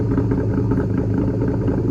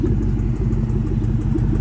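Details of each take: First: 2004 Ford Mustang Mach 1 V8, stock exhaust with Borla catback, cold start after sitting all day: deep, even rumble at a raised, steady fast idle that drops as it warms. Normal cold-start high idle; lean code is logged. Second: 2004 Ford Mustang Mach 1 V8 idling at operating temperature, recorded outside: a light, quick ticking tap over the rumble; a suspected driver-side exhaust manifold leak, possibly behind a lean code.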